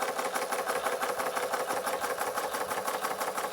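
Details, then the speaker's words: Bing 130/383 uniflow steam engine, first test run after refabricating many missing parts, running on little pressure, never yet slowed down: crisp, even chuffing about three beats a second with steady rhythm; running smoothly. "I've never tried to slow it down yet it's not running on very much pressure"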